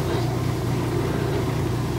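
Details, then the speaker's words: Kenmore 70 series direct-drive washer after replacing a broken motor coupler: on spin cycle, a low steady hum with even drum spin and no grinding or clunking; fixed. "And there she goes. Say the job is fixed."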